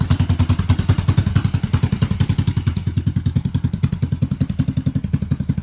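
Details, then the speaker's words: 1986 Yamaha XV750 Virago V-twin, first cold start after winter, new Gen1 KJS single-carb manifold, old gas, dirty carbs, choke disconnected: steady, lumpy idle beat with even, strong pulses, both cylinders firing, no misses; normal idle. "it actually sounds pretty good compared to my homemade manifold I had on there sounds like both cylinders are firing pretty good"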